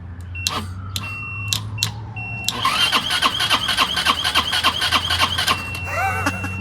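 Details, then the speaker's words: Abandoned Chinese 150cc scooter (Moto Cooper Revo/CF Moto) with the ignition bypassed, on a jump starter: a few clicks, then the starter spins the engine at about three or four strokes a second, but it never fires. "awesome oh my God it cranks now we have to see if it starts"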